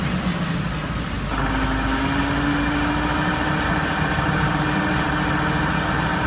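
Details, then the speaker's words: Vehicle differential with pitting on the gear tooth flanks: steady whine that climbs in pitch as road speed increases. Pitting is linked to excess friction or lack of oil, possibly from pinion or axle seal leaks. "se observan como picaduras y pozos en el flanco del diente esto también suele presentar un ruido molesto sobre todo cuando la velocidad del vehículo va aumentando un ruido Como este"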